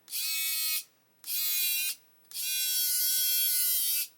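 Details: Hachette Avro Lancaster model small motor refitted with fresh batteries after weak ones caused problems: three clean bursts of steady high buzz with crisp starts and stops, spinning up smoothly: normal running.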